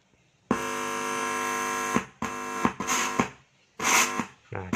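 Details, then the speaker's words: Active speaker amplifier with self-popping/crackling fault, driver stage tested: silent when plugged in, steady buzzy hum starting and stopping in bursts as the input is touched; driver stage normal. "Untuk di sini kalau dipegang input itu harus berbunyi ya. Nah, ini yang normal, speaker aktif yang normal itu seperti ini ya teman-teman."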